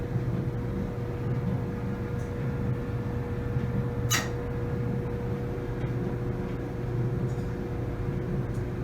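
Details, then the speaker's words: Samsung DV45H7000GW/A2 clothes dryer after installing new rollers from a kit to cure a squeak: steady low hum and even drum rumble, smooth, with no squeal or knock. "squealing feels very smooth all right i think mission accomplished samsung dryer fix"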